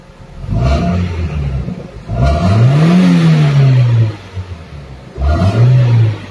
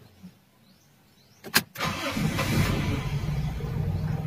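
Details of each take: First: Toyota Corolla Big Body GLI after ECT sensor fix for failed cold start, hard starting and misfire: three quick throttle blips, revs climb cleanly and fall straight back to idle without stumbling or misfiring; healthy revving. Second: Toyota Big Body GLI, starter cranks briefly, engine catches to a low, uneven sagging idle around 400–500 rpm, misfiring and hard starting; cold start not working due to faulty ECT coolant sensor.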